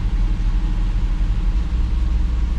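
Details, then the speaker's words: 2007 Jeep Grand Cherokee SRT-8 6.1L Hemi restarted after clearing codes: still slightly rough with a mild uneven pulse, better than before. A throttle body air leak is found later. "Alright, so it starts up. Still feels a little bit rough, but not like it was."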